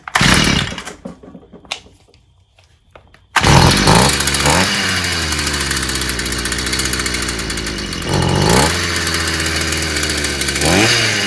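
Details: Stihl FS55 brushcutter, warm, with good-quality spark plug and new exhaust; a few pulls, then catches into a crisp buzz, revving up and back cleanly on throttle; runs fine.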